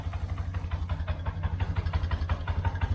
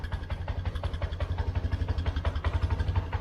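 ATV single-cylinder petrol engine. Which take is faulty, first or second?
second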